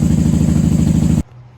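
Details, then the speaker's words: 1994 Honda Magna 750 VF750C V4 after fuel line repair and airbox reinstall: steady, even low burble with smooth regular pulse, no knocks or misses, then engine cut off; normal idle. "Too much air, too much choke. She's happy."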